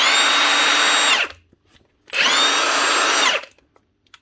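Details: Milwaukee M18 impact wrench (2767-20) after replacing the rear bearing cover to fix a rattling, growling motor: two clean one-second free-run bursts with a steady high whir that spins down smoothly, no rattle or grind.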